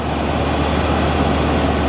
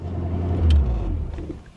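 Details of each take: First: 1983 Mercury Cougar 5-litre V8, bought as a non-runner, after fixing a fuel leak; steady even idle, smooth low rumble, no ticks, misses or surging: normal idle. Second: 1983 Mercury Cougar 5.0 V8, carbureted, long unused auction car; deep steady rumble holding a fast even idle that never settles, temperature 185°F; idle set too high.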